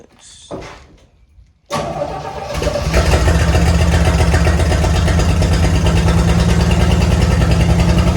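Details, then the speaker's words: 1972 Chevy C10 being revived, started after fixing the fuel hose: starter whirs, it catches and settles into a steady, even low idle with a clean beat; running much better. "Better, don't it? That's a lot better."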